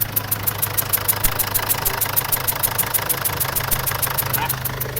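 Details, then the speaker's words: Mazda BT50/Ford Ranger diesel (same engine) at idle: a sharp puffing tick about three times a second over the clatter, heard as air escaping around the injector. Pouring water on it shows a compression leak at the injector sealing washer. "ยินเสียงมั้ยเสียงมันเป็นเสียงลมเสียงลมรอดขึ้นมาบริเวณนี้บริเวณหัวฉีดนี่"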